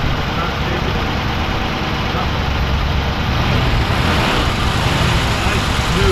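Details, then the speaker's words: Engine, heard at the tailpipe, cold and running rich/loaded up after work: steady low rumble, much smoother than the earlier put-put, slight unevenness remains; carburetor needs readjusting and a spark plug likely needs changing. "it's cold running but it's definitely a lot smoother we'll go to the tail pipe before it had a put putt putt putt to it"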